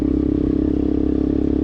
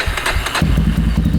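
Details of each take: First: 2000 Yamaha Warrior 350 single-cylinder ATV with new carburetor and ignition modules, riding; loud raw bark swelling and dropping with throttle, muffler has no packing. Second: 2000 Yamaha Warrior 350 with new carburetor and ignition modules, after reconnecting the clutch-handle brake switches that killed spark: fires and settles into a quick, even single-cylinder thump; normal start.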